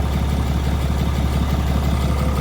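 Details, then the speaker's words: 2020 Ram 3500, 6.7 Cummins, 364k miles, cold start: stable deep diesel idle with a faint offbeat slight miss. It feels fine but sounds hurt; a lazy hydraulic lifter. "The slight miss, I'll call it that. The slight offbeat. Yeah, I mean, as far as feel goes, she's running fine. As far as sound goes, she's hurting."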